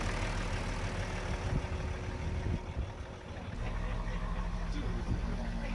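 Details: BMW E70 X5 40d diesel, previously a non-starter with a dead battery, on the second attempt after a starter motor repair: the starter turns it over, a brief lull, then it catches and settles into a steady low rumbling idle.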